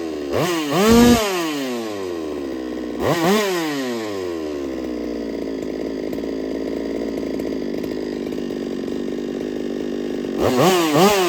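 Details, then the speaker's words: Holtzfforma 395 chainsaw, freshly ported for racing, first run: revs up and drops in bursts with a faint metallic rattle on the high buzz; squish measured 0.018 in versus 0.028 wanted, owner suspects tight squish, unconfirmed. "But if you pay attention, you're going to hear that like rattle to it. And I don't know. We're going to find out though. We're going to find out if it's because my squish is too tight."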